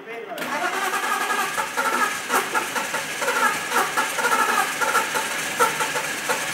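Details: 1998 BMW 5 Series Touring 2-litre six-cylinder automatic, unstarted six days under ice: rhythmic starter churn with regular chug every half second, never catching; cranks but won't start, cause unconfirmed.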